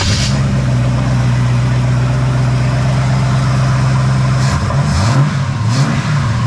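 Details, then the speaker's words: 1974 Pontiac Ventura engine just started after a hard start, with new plugs, fresh fuel and verified firing order and distributor timing: low, uneven idle with wavering tone and a couple of blips; runs rough, owner suspects the carburetor needs tuning and the timing needs setting. "But yeah, it runs. It don't sound real great, but I'm sure it needs fine tuning on the carburetor, and the timing needs set."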